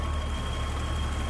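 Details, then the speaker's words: 1984 BMW 325e, 2.7L inline six with a Getrag 5-speed manual, 105,000 miles: a smooth, even low hum at idle with no ticks, knocks or stumbles. A healthy, normal idle. "Very smooth running engine. What you'd expect it to sound like. Inline 6."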